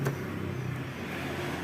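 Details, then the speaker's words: Honda Vario 125 that had lost ignition (starter worked, fuel pump hummed, no spark at coil). Its ECU ground wire was brittle and nearly broken from rubbing the engine. Once that was found it starts and idles steadily and evenly with no misses or knocks. "coba Nyalakan cek Apakah bisa menyala motornya ya sip Ini motor sudah nyala teman-teman ya"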